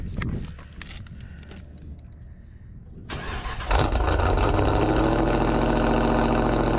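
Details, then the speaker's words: 2020 Dodge Scat Pack on a morning cold start: it cranks briefly, fires at once and settles into a loud, steady, deep fast idle, a healthy cold start that the owner jokingly calls angry. "she is just so angry i don't know why why she has to be so angry in the morning"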